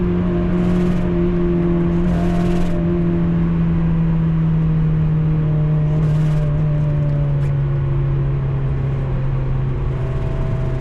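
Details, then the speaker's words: NC Mazda MX-5 on track at Donington Park, high revs: steady droning note that slowly drops in pitch with a rough, choked edge; sudden mechanical issue. "What's that noise? Oh fuck, what's going on with my car? Hopefully that's not the end of the car."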